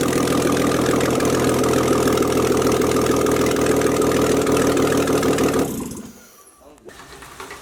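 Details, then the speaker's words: Rebuilt BMW E46, first start-up after fitting engine and an E90 six-speed gearbox: smooth, even idle with steady mid-pitched hum and no knocks or misses before shutoff; sounds healthy. "Yo, it sounds nice. Shut! She's awake."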